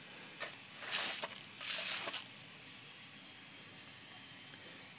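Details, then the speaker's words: 1978 C3 Corvette with LS1 engine and a fabricated Holset HX55 turbo, boost leak-down test with the intake pressurized by shop air: two sharp hissing bursts, then a faint steady hiss from a leaking intake coupler at the front. "another coupler that was kind of leaking down in the front"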